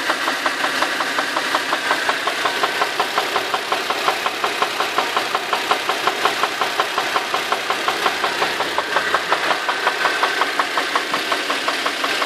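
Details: Infiniti FX35 engine at warm idle with a sharp, even tapping near three per second over the engine hum; internal knock, cause unknown.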